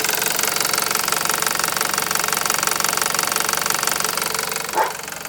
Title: 2001 1.8T Beetle engine knocking